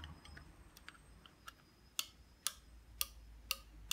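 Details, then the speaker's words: Washing machine pressure switch stripped open, three-legged switch operating reed switches pressed by hand: crisp light clicks about every half second, normal operation at different water-level pressures. "-legged switch over here which operates the reed switches and you can hear it clicking as we push it down here that's clicking that one that one that's just a post"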